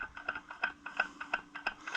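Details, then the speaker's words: Allis-Chalmers 175 diesel tractor, replacement fuel pump being pumped to prime: crisp, even ticking about three times a second as fuel flows into the filter. The pump works well, better than the previous one. "Fuel is on. Let's pump. I can see it going in the filter. Oh yes, this pump is working great."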